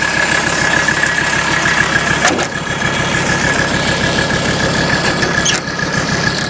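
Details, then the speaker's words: 1984 Mercedes 300D turbodiesel bought as mechanical damage, smoking heavily: loud, uneven diesel clatter at idle with a lumpy, irregular beat of about three per second. It sounds horrible and runs rough; cause unclear. "well this thing sounds horrible"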